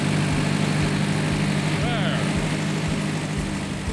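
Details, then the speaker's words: Ford 8N tractor engine after timing advanced from 0 to 4 degrees BTDC; low, even putter about two and a half thumps per second, no knocks or misses; runs cleanly. "Then also redid the timing instead of 0 degrees. I went to 4 degrees before top dead center, monkeyed around a little bit and got it fired up."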